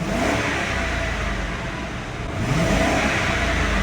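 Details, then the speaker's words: 2003 Mercury Grand Marquis 4.6L V8, previously rough-running and stalling at 14 psi fuel pressure, after replacing the in-tank fuel pump leaking through a holed hose: it revs cleanly and evenly with no stumble, at 35–40 psi. "The engine sounds way better."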